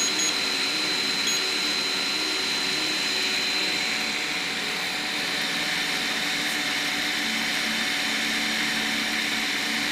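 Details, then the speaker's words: Piocreat G5 pellet extruder 3D printer, large nozzle, 1 mm layers, speed raised to 300: harsh grinding hum as the extruder stepper strains and overloads; too fast, turned back down. "300 W okay okay oh it's really grinding it's too much for it too much turn it back down here"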